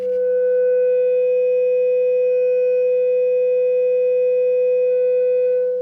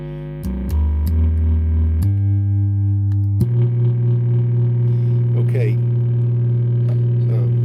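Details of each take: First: Repaired Fender Hot Rod Deluxe, warmed up, test tone into 8-ohm dummy load at about 18 V RMS, just touching clipping with slight crossover distortion (about 40.5 W RMS): steady pure mid-pitched tone with slight edge; healthy output. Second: Fender Hot Rod Deluxe amp fed a signal generator tone hums and distorts, with a coarse buzz pulsing in and out at 50 cycles; a capacitance substitution test confirmed the failing HT smoothing filter capacitor.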